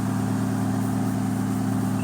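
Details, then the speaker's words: 2013 Dodge Dart 1.4 turbo with P0299 boost codes, warming up, idle just above a thousand: smooth, even low hum with no knocks, misses or whine; sounds healthy and better than before. "I don't know if that's just a vbo effect or no it sounds better I'm telling you it sounds better"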